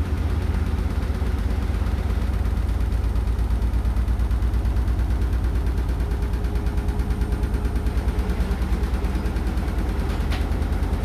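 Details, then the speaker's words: Hotpoint NSWR843C washing machine on final fast 1200rpm spin: heavy thumping rattle pulsing about twice a second, deep and loud over the drum roar; cause unclear. "And the thing was rattling, is right there. It was rattling really loud, so they're not working out just yet by this hot point, I guess."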